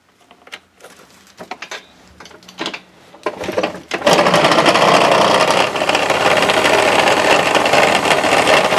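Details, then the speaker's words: Honda Dio 27 scooter engine, high compression, piston fine: starts with a fast rattly clatter about four times a second after handling noises; knock traced to a broken part at the crankshaft, checked by opening the variator cover. "Э-э, откуда-то доносятся какие-то странные звуки."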